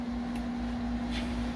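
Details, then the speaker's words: GE GTW460ASJ5WW top-load washer after lid lock replacement: a steady valve hum with soft, uninterrupted rushing of water, where before nothing happened. The washer is filling normally. "here and you can hear the water going in whereas before there was nothing happening"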